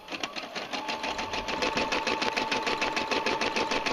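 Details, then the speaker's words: Brother SE 350 embroidery machine embroidering: quick, even stitching patter with faint steady motor hum, no clunks or grinding; runs smoothly and dependably. "we're going to continue listening to the machine you can sound hear the sound is nice and even stitches very well it's been a Dependable Machine"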